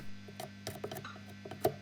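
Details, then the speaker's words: Early-1960s National-Valco tube amplifier under restoration for serious hum: steady mains hum with sharp taps heard in the loudspeaker when tapping disc capacitors; the last one on the right is microphonic and gets replaced, while the other disc caps tested noise-free. "testing these caps is idiot proof just tap on them if you can hear that tapping in your loudspeaker they are microphonic"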